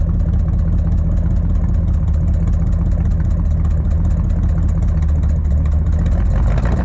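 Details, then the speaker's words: 1959 Edsel Ranger V8 idling right after startup with a used replacement driver-side exhaust manifold/header fitted; deep, steady loping rumble with no knocks or misses, running good and not bad despite a broken manifold on it. "She don't sound too bad for a broken manifold on it."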